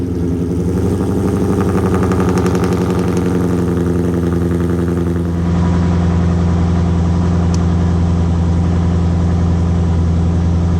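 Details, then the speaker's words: Ford MT82 manual transmission (Calamar/BC Stage 3 build), idling in neutral with the transmission rotating: uneven clatter over steady idle that smooths out when the clutch is pressed, gearbox rattle, reason for swapping to a Tremec T56 XL. "so also when it's in neutral the transmission is rotating and Calamar told me initially that it makes noise when I rotate"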